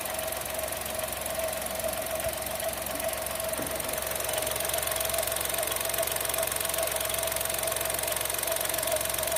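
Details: New Chevrolet Tracker 3-cylinder turbo engine, first start of the day at 8 a.m., microphone at engine bay: fast, even ticking, about two or three per second over quiet idle; normal fuel injector noise.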